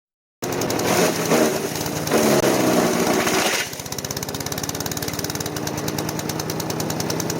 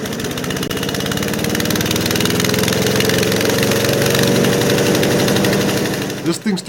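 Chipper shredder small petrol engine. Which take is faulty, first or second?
first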